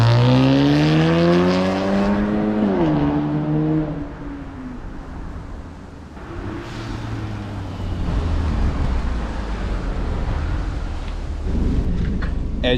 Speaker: you can tell, light years better. Um, again, the cat and the resonator are still breaking in.